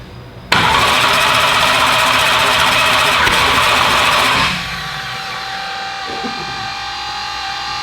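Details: Car "Slick Rick" first fire-up attempts: loud rough cranking burst with sharp pop at start, fading to weaker spin; backfires and never catches, AFR read 12, cause suspected, not confirmed.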